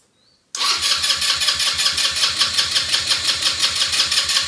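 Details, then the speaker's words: Elstar 150cc single-gear 2WD quad bike, long stored in a shed, battery reconnected and out of gear: the starter cranks steadily at about three pulses a second for four seconds but never fires. Owner suspects the spark plug; no fuel leaks seen. "let me just check the spark plug again it could have been failed from all the other attempts i was trying but no fuel leaks which is good"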